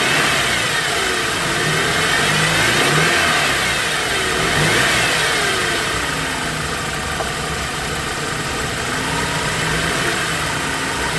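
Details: BMW E90 engine running with a whine rising and falling with revs over steady idle; belts and bearings being checked, source not pinned down.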